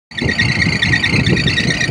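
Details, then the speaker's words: Air-conditioning unit fan drive running: loud steady high belt squeal over a rumbling fan drive; belt itself still fine, pulley misaligned and to be fixed. "So ayan mga ka-rack merong maingay dito oh. Maingay yung belt."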